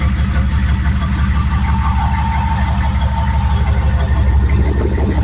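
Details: Turbo 6.2 diesel after inlet housing pressure adjustment, 195° thermostat and injection pump turned up: steady even diesel clatter at idle, quieter and cleaner, not as poppy since timing is more right; normal diesel idle.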